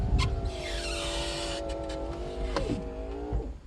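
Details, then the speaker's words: Mercedes 300SL R129 with repaired roof control module, windows closing during roof operation: smooth motor whine rising slightly as glass goes up, soft stop at top; normal window operation. "both windows are closed as we see it okay all the same thing for roof to be opened up so we hit the switch windows obviously follow they go down first"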